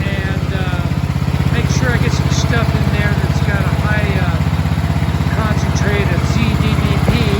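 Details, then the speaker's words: Vintage Briggs flat-tappet single-cylinder engine on scrap-acquired mower, after basic maintenance, no air cleaner yet, carb not finally adjusted: steady, even putter at constant speed with no misses or knocks; running well. "but she's running really good so I can't do the final adjustments on that carb until I get an air cleaner on it really really good very happy with that sounds great"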